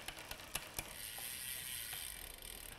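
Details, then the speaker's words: Bicycle rear derailleur during gear cable replacement and indexing: light uneven clicking while cranks turn, then quieter chattering; with too much cable tension the chain tries to override the sprocket. "if we found that say for instance we had too much tension and we clicked up one gear you might find that it shifts two gears or it's perhaps just trying to override that sprocket might hear that that noise that you're getting"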